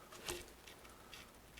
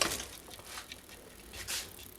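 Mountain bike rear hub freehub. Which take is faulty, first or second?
first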